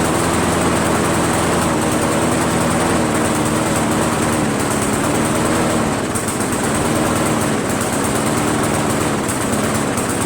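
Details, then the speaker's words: Briggs 158cc mower engine after a carburetor change: note wanders up and down every few seconds instead of holding steady; hunting, poor running despite running great at first, cause unknown. "I'm a little perplexed as to why it ran so good in the beginning and then now all of a sudden it doesn't run that well you know it's a poor running engine now"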